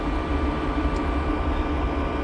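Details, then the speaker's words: Diesel air heater aboard a Jeanneau Merry Fisher 895, heard in the storage locker near its intake and uninsulated exhaust section that gets very hot: steady low hum with even airflow rush, no surging or rattles; normal operation. "gets super hot when the heater's running. That's its intake there, takes in the air there into the system here, heats it up."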